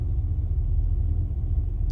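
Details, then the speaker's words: 1985 Chevrolet Caprice Classic, 5.0L 305 V8, about 152,730 miles, after EGR valve replacement. Deep, steady, smooth idle with no misses, taps or hunting. "okay so far it's idling pretty good fingers crossed"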